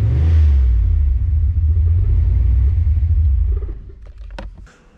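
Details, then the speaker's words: Fox body Mustang on a Holley ECU after TPS auto-set calibration: starts, revs cleanly and settles to a steady low rumble with no hesitation; rough running fixed, runs normally. "fixed the problem. So now the computer knows the exact throttle position on the car, and that should fix any rough runnings that we had."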